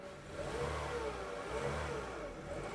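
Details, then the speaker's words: Barn-find 1990s Nissan Primera GT, SR20 engine, pulling away out of the barn under its own power after storage: engine note rises and settles smoothly, even and clean with no knocks or stumbles; sounds brilliant, brakes not binding. "sounds brilliant yeah now straight I reckon straight yeah right hand down yeah it's so smooth"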